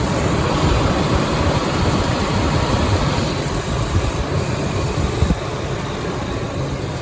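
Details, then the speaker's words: 1998 Ford F-150 4.6 Triton V8 idling with a steady, even low rumble and no stumbles after fixing a cylinder 8 misfire: new spark plugs, plug wires, two ignition coil packs and both EVAP canisters replaced; runs like new. "we got a both of the EVAP canisters all replaced and uh 800 later the truck runs like new again so yeah let's hope it stays that way"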